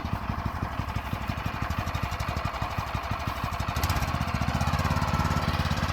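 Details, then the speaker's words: Used go-kart with a small single-cylinder engine that has compression, possibly run without oil (owner feared a bottom-end bearing), with likely fuel in the oil: even, steady firing beat that builds slightly, no knock or rattle; sounds fine. "all right so the it all works it's not throwing the chain it's not it doesn't sound bad"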